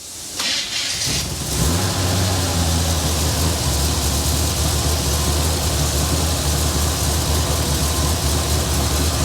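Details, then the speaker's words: 1970 Chevy Blazer, revived after sitting, engine thought to be a 305 or 302 small-block, not verified: cranks and catches, then a deep, slightly loping idle; owner suspects a mild cam, unconfirmed, otherwise smooth. "up I ask him if it had a little cam it sounds like it's got a little cam in it I don't know well you heard just sound like it's hitting a little Li it's it's smooth 302 sounds smooth though"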